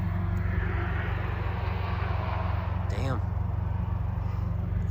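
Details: Subaru VB WRX with a vacuum leak from a broken PCV hose, damaged when the catch can was poorly installed: a deep, lumpy, uneven idle like a big V8.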